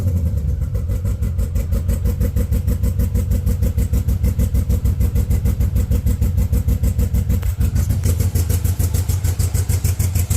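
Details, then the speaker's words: 1970 Camaro Z28 with a built LS2, LS3 heads and a new Edelbrock E-Force supercharger, first start after clearing codes with a rigged MAP sensor and much of the harness unplugged. The idle is lumpy and ragged, loping about three times a second, running in limp mode. "Clearly in limp mode, but it is idling. It is idling."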